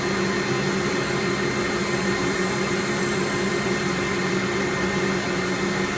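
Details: Workshop dust extractor running during sanding while turning an elm bowl: steady, even motor-and-air roar with constant pitch and no rattles or surges; extractor running normally.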